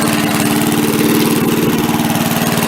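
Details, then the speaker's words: MTD push mower after carb cleaning: putters at a steady low idle and never picks up speed when the throttle is moved; the throttle linkage spring was hooked wrong after the carb was refitted. "I'll try throttling it up here. It really doesn't do anything."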